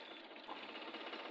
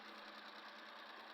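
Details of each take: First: Suzuki K6A small petrol engine idling unevenly and shaking, misfiring with one cylinder dead; the number two injector showed no sign of working and the plugs are being checked. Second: Suzuki K6A engine after replacing the spark plug that caused a misfire: a steady, even idle with a light mechanical patter, no stumble or shake. The misfire is solved and the idle is normal.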